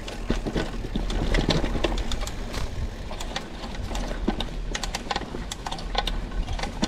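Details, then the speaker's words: Walmart Hyper Carbon X 29er (full carbon frame, 1x setup) ridden on a trail in Mobile, Alabama: irregular creaking, popping and grinding while pedalling; bearings destroyed, cheap parts bending, brakes don't work. "yeah it's pretty sad right now creaking popping sound like bearings or grinding brakes don't work"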